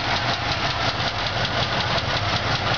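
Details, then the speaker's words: 1977 Oldsmobile Cutlass Supreme Brougham, original 350 V8: steady idle slightly shaky with light quick rhythmic lifter tick despite a newly installed lifter; engine could use a rebuild, left exhaust manifold seal also needs work. "you can hear it need the lifter I put a new one in but use the lifter"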